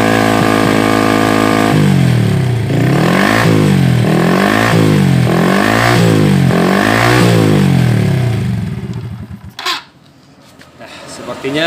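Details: Honda Revo ABS motorcycle after new cylinder block, fitted because it smoked and was worn: steady idle with smooth throttle blips, no knock or rattle, checking for smoke; engine runs healthy.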